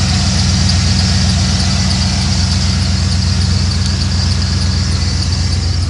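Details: Ford van no-start that began running after a burnt cigarette-lighter fuse was found and a bare wire to it removed: steady, even idle with smooth low rumble, no misses; still backfires under hard throttle.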